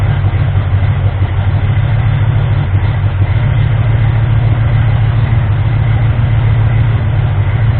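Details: Ford 351M V8 being diagnosed for misfire and rough idle, with the distributor being adjusted. Low, lumpy idle with an uneven beat of roughly three pulses a second. Still not running clean; the owner suspects ignition timing, and the balancer timing ring had spun.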